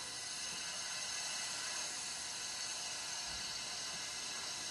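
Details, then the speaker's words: Volvo S70 2.4T consuming coolant internally, cylinder leak-down test with about 100 psi of air through a compression-check hose: steady high-pitched hiss with no pulsing, a lot of leakage from that cylinder. "okay now you can hear a lot of leakage"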